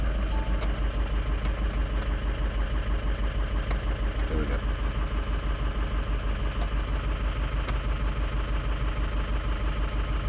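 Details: Diesel bus idling at 57° coolant with a heavy, lumpy beat about three times a second that never smooths out; ICP volts slightly high, IPR watched on crank for a high-pressure oil leak; cylinders 1, 4 and 6 flagged. Rough idle, cause unconfirmed.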